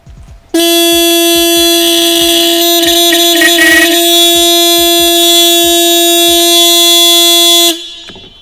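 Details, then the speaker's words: 1972 TVR 2500M, long-sitting car: horn blares nonstop about seven seconds the moment the battery is connected, then cuts out. Horn sounding on its own; shorted horn circuit suspected, not confirmed; owner tapes off loose hot wires afterward. "well we know the horn works"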